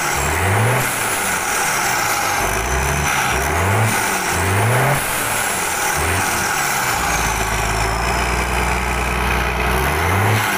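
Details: Rebuilt Mitsubishi Fuso 6D22 truck diesel tested after overhaul, before installation in chassis: sharp throttle blips climb and drop cleanly, then settle to an even, steady idle; strong, healthy normal idle and rev.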